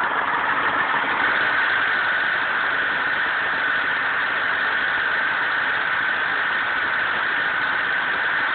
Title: Grinding noise most noticeable on cold start